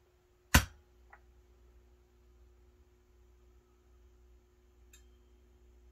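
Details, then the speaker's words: Peavey VB-2 all-tube bass amp after replacing the power supply filter capacitors and new valves, warmed up three to four minutes and taken off standby: one soft pop, then near silence with a faint steady low hum; normal quiet idle. "and there you go now what you are hearing is a very quiet amplifier"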